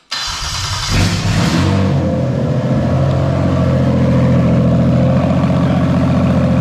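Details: Toyota/Lexus JZ engine with MAF intake pipe moved a couple of millimetres down, creating unmetered air leak after the MAF: slightly lumpy, hunting idle with uneven pulse, rpm dropping and engine note changing.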